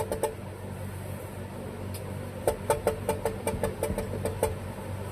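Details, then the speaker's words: Clinton model 410 small engine turned slowly by hand: it has compression, but sharp, uneven knocks come roughly twice a second. Crankshaft play may be slightly more than normal, and the cause is unknown pending teardown. "So, I guess we're going to take a peek inside this engine. I'm not going to try to fire it sounding like that. That sounds terrible."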